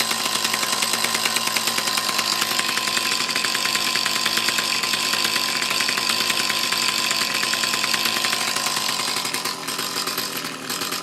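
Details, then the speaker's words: Mantis tiller with Kioritz/Echo two-stroke engine, after cleaning around carburetor and fuel lines to fix bogging under load: steady, even high-pitched buzz with no bogging or surging; engine running cleanly. "okay that seems to be happy again fix that little issue should be good to go for a little bit"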